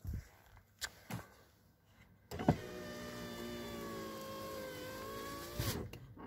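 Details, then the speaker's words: VAZ 2115 power window after cleaning channel and applying silicone: smooth, steady motor hum for about three seconds, no squeak or rubbing, extraneous noise gone; normal power window operation. "работай замечательно посторонний звук не слышно"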